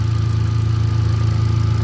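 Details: 2018 Hyundai Accent gasoline engine, previously cranking but not starting, idling during relay swapping in the fuse box with check engine light on: low, steady idle with an even pulse, no knocks or misses; normal healthy idle.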